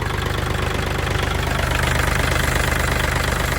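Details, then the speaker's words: Kubota L4018SP 40 hp diesel tractor, registered 2564 (2021), original engine: starts easily; even low idle just under three beats a second, no knocks or misses, no smoke, no coolant pushing; smooth healthy idle. "เครื่องติดสตาร์ทติดง่ายนะครับเครื่องนิ่มๆเลยนะครับเครื่องที่สตาร์ทเครื่องนิ่มๆนะครับ"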